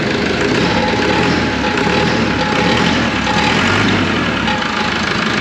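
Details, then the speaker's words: Auction roller diesel after a complete rewire, second start attempt: oil pressure reads 60 lb at idle. A steady, even idle with a constant low rumble, no knocks, misses or hunting; healthy. "look at that oil pressure would you 60 lb that's an"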